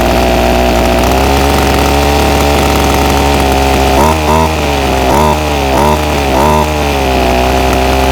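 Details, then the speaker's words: Ryobi SS30 30cc two-stroke trimmer, before carburetor low-jet adjustment: high buzz sags in pitch several times as throttle is blipped, then recovers; bogs instead of picking up revs, later cured by carburetor tweaking. "so I've got the ryobi s s30v trimmer here and it's been running really bad just bogs out whenever I give it throttle so I'm back at trying to adjust the carburetor"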